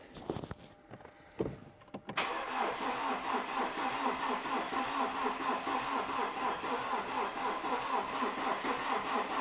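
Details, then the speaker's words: BMW E91 LCI diesel with used replacement engine (new timing chains) after oil-starved original blew; codes cleared, fuel system bled twice; starter spins steadily at slow even beat after a pause but it never catches; extended cranking, no start. "let the starter cool off I don't think I forgot to connect anything"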